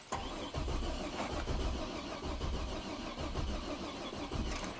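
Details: 2007 Buick Rainier, 4.2L inline-six replacement engine from a 2008 Trailblazer, 175,000 miles: starter cranks in uneven, sluggish pulses with no catch, crank-no-start; battery getting low; crankshaft position sensor signal suspected.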